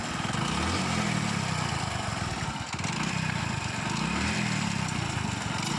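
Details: Hero bike (HF Deluxe/Splendor type) small single at idle: clattering metallic knock that swells and fades every few seconds; found under the magneto cover as loose starter one-way clutch bolts striking the gear.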